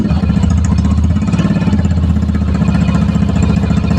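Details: Yamaha Mio i125 scooter that had died and would not start, running again after troubleshooting; catches and settles into an even, steady idle with a smooth, regular low beat.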